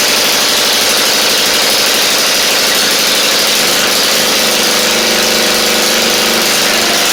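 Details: 1991 Eagle Star (Noma) rider with an old 11 hp Briggs engine swapped in to replace the knocking original, after flushing out flooding. Steady, even single-cylinder putter with a hissy top end and no misses or knocks; running normally.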